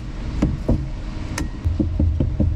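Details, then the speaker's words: Nissan Sunny truck (Datsun 1200) door after sound deadening: knocking gives short dull thuds with no ringing tail; panel resonance gone, solid and well damped. "You can hear it in the panel itself. Huge difference. So all that resonance and ring has gone out of the panel. It's all gone."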